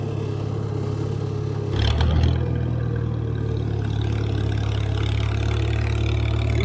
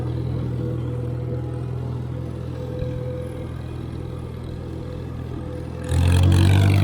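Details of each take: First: IH McCormick Farmall 350 tractor running on unleaded gas to charge the battery. A low, steady hum shifts briefly after a throttle blip, then settles with a faint rise and fall as the governor works the throttle. This is normal governor hum at idle. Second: IH McCormick Farmall 350 tractor driving in third gear on its first chore; the ride is a little bumpy. A smooth, even low drone with one brief clatter and no knocks or misses. The engine is quiet and smooth, running normally.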